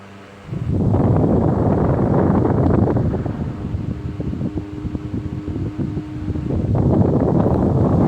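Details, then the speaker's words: 1925 GE AOU AE1 desk fan, pot metal gearbox on assembly lube and a little grease, oscillator on, medium to high: even whoosh with soft steady hum, no gear whine or clicking; oscillating drive healthy. "Now I'll go ahead and straighten it out, and we'll turn the oscillator on. You can hear absolutely no gearbox noise. It's wonderful."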